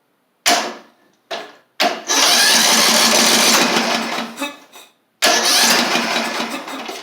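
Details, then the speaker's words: Craftsman LT3000 lawn tractor engine with new battery, intake tube and carburetor, no fuel hooked up: sluggish cranking bursts then longer spin that never fires. "now it doesn't sound like it's got any RPMs which is all right y'all something ain't right about this"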